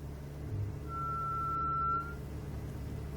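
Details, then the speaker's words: 2009 BMW 335i convertible, engine running, reversing: a clear, steady high-pitched brake squeal rises over the engine hum for about a second, still present after the dealer replaced the brakes and rotors. "this videos to show you that the that the vehicle still makes the noise when we when reversing so here we go"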